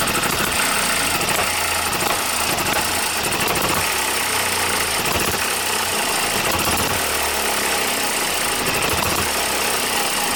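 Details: New OKMO Microcosm M92 miniature hit-and-miss engine, first run on Zippo lighter fuel with a few drops of outboard oil: light rapid clattering beat steady over a bright mechanical hiss; running normally.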